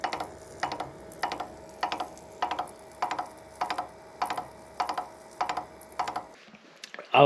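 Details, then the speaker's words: Mini lathe only 9 days old: sharp evenly spaced clicks, under two a second, over steady whirring hum from a failing bearing on the gear train jack shaft, getting louder during turning; replacement parts ordered. "there's these little bearings here that uh there's like a little Jack shaft in there and one of these bearings started clicking"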